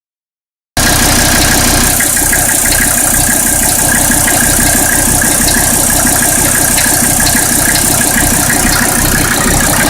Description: Mercedes OM617 swapped into a Toyota pickup, has a weird noise that sounds like a gasser knocking, video uploaded for help with noise diagnoses.